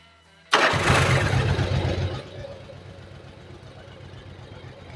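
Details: Yamaha Virago 1100 V-twin after valve adjustment and carburettor synchronisation, tester on the rear cylinder showing a good blue colour (front already perfect): starter catches, steady even idle with no misses or stumble; fuelling sounds right.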